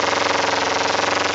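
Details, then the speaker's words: 2008 Kawasaki Ninja 250R with K&N air filter, new plugs, and gas-smelling exhaust: with no throttle, idle creeps to about 2,000–3,000 rpm and holds there, a steady buzz; the choke doesn't drop it, and the owner suspects it needs a rejet. "watch and she's staying at 3,000 RPS pretty much right now"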